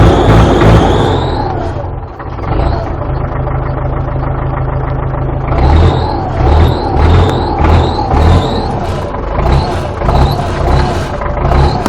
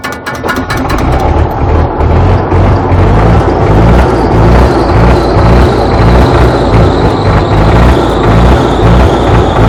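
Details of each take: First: Belarus MTZ tractor diesel just after hard cold start at -14 degrees, after sitting 2 weeks: heavy low clatter, revs rising and falling unevenly at first then settling; normal cold running. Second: Belarus MTZ tractor diesel, cold start at -14 degrees after sitting 2 weeks: brief rough turnover, then catches and settles into heavy, slightly uneven chug in the frost; hard cold start.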